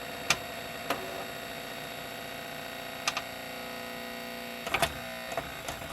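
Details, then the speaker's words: Epson ET-2710 scanner, disassembled, after two-red-light error: faint whirring with irregular sharp clicks as the carriage keeps trying to reset itself; owner unsure how it detects home, unconfirmed. "so how does this thing detect that it's gone back under but that's what it does it makes that weing sound"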